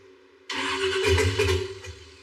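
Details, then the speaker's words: DeLorean with a scrap LS engine swap, on first startup attempts: the engine catches with a sudden roar, surges unevenly for a second, then sags and dies instead of idling, with the throttle closed. A big vacuum leak or tuning problem is suspected, not confirmed. "How could it go from idling so high to now idling at all to wanting"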